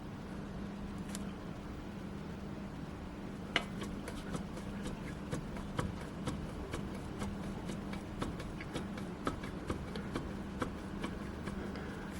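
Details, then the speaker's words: Renault Duster front brake caliper rocked by hand against the knuckle: train of sharp light metallic knocks about three a second, matching single clicks when braking and pulling away; suspected worn guide-pin bushings, repair kit 7701206601. "Всем привет друзья автомобиль Renault Duster проблема следующая при торможении и старте в самом начале слуш щелчки и непонятные какие-то такие металлические стуки он Одиночный"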